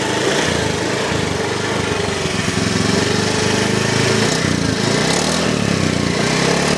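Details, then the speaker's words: Honda Vario ESP scooter that hesitated and cut out at low rpm on pull-away despite a new injector and TPS; stock plug cap refitted. The engine now runs even and picks up cleanly on the throttle; normal throttle response. "udah normal ya teman-teman"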